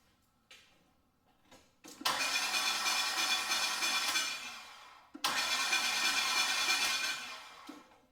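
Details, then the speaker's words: 2002 Acura 3.2 TL towed in, made metallic noise on start then wouldn't restart: two cranking attempts, each harsh metallic grinding and scraping about three seconds with no catch; catastrophic flywheel failure. "So as you guys heard, essentially that's the noise that the car is making and it does not sound too good."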